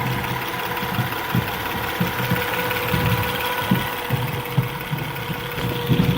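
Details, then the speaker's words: 2010 Acura TL base model idling: a steady, fairly high whine rides over the engine, heard from the engine bay, source not yet identified. "Sounds like it's coming in here. It's the whining noise. I'm trying to figure out what it is."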